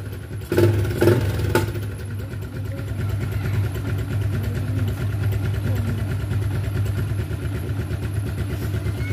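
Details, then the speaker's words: Motorcycle with homemade hidden anti-theft kill switch under the seat, switched back off: engine catches after a couple of cranks and settles into smooth, steady idle with even low beat. Normal idle. "Dan kalau kita hidupkan kembali, mesinnya nyala lagi"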